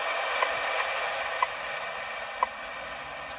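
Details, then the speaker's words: Mobile HF ham radio receiving WWV at 10 MHz on AM after vehicle bonding and ignition-noise work: a soft steady hiss with a crisp once-a-second tick and no ignition crackle with the car off; clean reception, no ignition noise. "that's with the car [Applause] off that's with the car on ever so slight you can hear it but barely barel"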